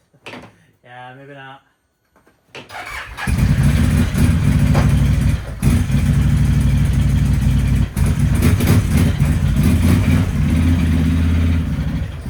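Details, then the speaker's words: 2011 Can-Am Outlander 800 XTP after used ignition switch fitted, test ride, no check engine light: loud lumpy exhaust beat not smoothing under throttle, running on one cylinder; misfire, fuel pressure next to check. "no check engine lights or anything on the dash but it's definitely not running on two cylinders like it's running on one"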